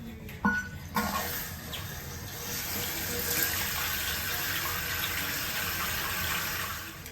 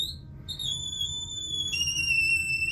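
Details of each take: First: New Fluidmaster Performax universal fill valve just installed to cure a whistling toilet: steady rushing hiss of the tank refilling, smooth with no whistle or screech. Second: Toilet tank filling: piercing, shifting whistle over rushing water from a deteriorated fill valve, occurring only while filling and within a certain water pressure range; fix is replacing the fill valve.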